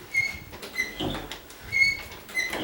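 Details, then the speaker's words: Door swung open and shut: short, high-pitched, dry squeaks from rubbing between the hinge knuckles, not from the wood; the hinge needs grease. "That's because in between the knuckles somewhere, it's doing that. It's not hitting the wood or anything."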